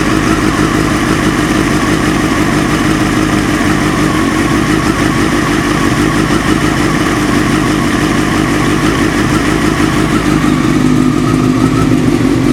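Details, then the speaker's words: Engine idling loud and busy with rapid, uneven metallic knocking; the source is not pinned down. The knock quietens as the engine warms, eases slightly with the clutch pressed, and is nearly inaudible by about 40–50°. Cause suspected, not confirmed. "прогревается, тем тише звук вообще становится. Я, кстати, попробовал, когда сцепление выжил, звук потише чуть-чуть стал."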